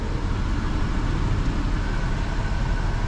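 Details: 2011 Chevy Traverse after replacing the alternator with a new unit and the belt, engine running: steady, even run with no belt squeal, chirp or bearing growl from the front; accessory drive healthy.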